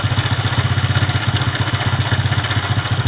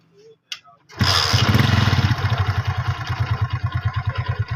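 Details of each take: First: Honda CD70-type 2012 Hero motorcycle engine idling: quick, even thump with a dry metallic clatter on top; timing chain rattle, fixed by replacing the timing chain and seals. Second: 2012 Hero CD70-type motorcycle after timing chain refitting with the timing marks aligned: starts on the first try and settles into a steady, even putter with no ticking.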